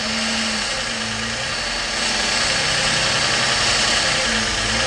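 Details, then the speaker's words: Idling engine after recent tune-up, codes P2173, C121C, P0300, P0302: brake cleaner sprayed near the intake, loud spray hiss and idle change reveals a vacuum leak at the plenum gasket or blue EGR O-ring, likely fitted wrong. "Now what we're gonna do is spray. I really want to spray up here. Let's see something. Y'all hear that? Idle change. Whoa, right there."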